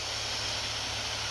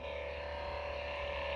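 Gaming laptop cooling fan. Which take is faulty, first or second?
second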